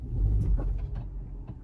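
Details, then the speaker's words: 2015-2020 Hyundai i20 engine running with low rumble and sharp metallic taps and bangs from underneath; broken, loose exhaust heat shield between body and exhaust, to be secured. "it's kind of like a banging noise anyway what happens on these sometimes is there's a shield between the body and the exhaust so Shield is here exhaust is there obviously The Shield is to deflect heat we from the body and this one is loose because it's broken"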